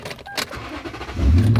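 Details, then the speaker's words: 2008 Toyota Tundra 5.7L i-Force V8 with timing chain: a short crank catches at once and settles into a smooth, steady low idle with no stumble, purring and healthy. "But listen to that engine. It's purring away."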